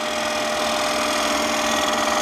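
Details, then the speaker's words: Wood lathe, bowl cut with a 1/2-inch bottom-feeder bowl gouge, flute turned to 3 o'clock; steady spinning hum with buzzy rattling chatter as the gouge bounces because the cut is getting too thick. "It's getting too thick. You hear the bouncing. I'm pushing it down the tool rest to keep it all in line."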